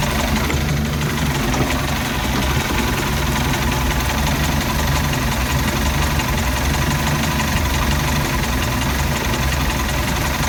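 Steady loud idle that never settles, with a shaky, irregular pulse in the low rumble throughout; a rough-running idle.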